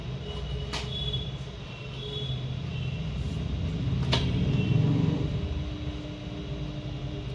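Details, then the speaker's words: Pedestal fan after replacing its failed capacitor, which had caused humming and no rotation, on speed 3: steady low motor hum and airflow rumble with a couple of switch clicks as the fan now rotates normally. "இப்ப number தரீ motor பாத்தீங்கன்னாக்கா நல்லாவே வந்து rotate ஆகுது. முன்னாடி கொஞ்சம் கூட ஓடாம இருந்துச்சு. இப்ப வந்து நல்லா வந்து ரொட்டேட் ஆகுது."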